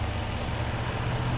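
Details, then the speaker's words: Dodge Magnum 5.7 Hemi V8 after a valve seat repair, with rebuilt heads, on the cylinder on the rear passenger side: steady, low, even idle with no ticking or knocking; engine back to normal. "and it's back to normal again well there it is back to running again sounds good"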